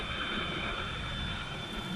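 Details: New Skoda Rapid with climate fan running: thin steady high whistle over rushing fan air near the driver's door glass, changing when the window is opened slightly; source not yet pinned down.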